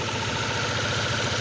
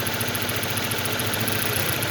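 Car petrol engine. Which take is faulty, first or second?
first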